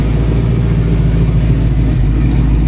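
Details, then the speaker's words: Foxbody Mustang GT V8 at idle: deep, even burble at steady loudness with no knocks, misses or ticks; healthy normal idle. "Listen how good it's running. Will you listen to that? She's so happy right now."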